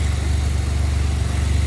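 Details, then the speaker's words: 2007 Pontiac Grand Prix GT idling after a crank-no-start fix: broken harness eyelet cut off, replacement eyelet spliced on and grounded to a stud with a nut. Steady low, even idle with no misses or knocks; engine running healthy. "hopefully that solves the issue with the 07 again. Like, I know that's crazy. I've never had that issue, but it's all good. She's running."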